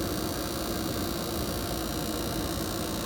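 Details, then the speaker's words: Gas furnace firing normally after ignition: even, steady burner roar with exhaust/blower fan hum underneath, no popping or surging; burner box heating up before the main fan starts blowing. "man that that was Flawless worked perfect and it's actually heating up the burner box"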